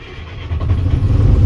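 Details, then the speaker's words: Volvo grapple truck diesel cold start after block heating, air pressure at 0: short, quiet crank catches about halfway through, then a deep, steady rumble builds evenly; normal cold start. "Well, let's see if the Volvo will start up. That's of course a big part of today's plans. So I'm doing a little block heating."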